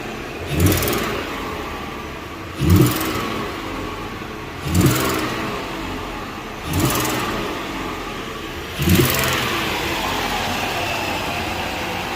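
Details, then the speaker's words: 2014 Ford Explorer after cold start, five sharp revs with a rushing hiss rising with rpm; exhaust manifold corner bolt missing, though mechanic thinks the cat is more likely leaking; exhaust leak suspected, not confirmed. "Right in the corner of that manifold, one of the bolts missing. I actually think it's more like the cat leaking."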